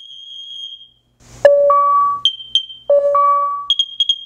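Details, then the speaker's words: Nest Protect 2nd gen smoke and carbon monoxide alarm self-test: shrill high-pitched beeps between lower two-note chimes and voice, ending in a quick group of four. "This is going to be loud here, so you might want to decrease your volume. Testing smoke. That is loud. Testing carbon monoxide."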